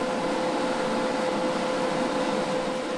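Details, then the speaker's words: Prime-Weld TIG 225 welder just switched on for the first time: steady loud fan rush with a constant hum, no rattle or scrape. Cooling fan is loud but normal; owner doesn't mind it. "we're gonna give it a go if you can hear me uh it's pretty loud fan which doesn't bother me too much"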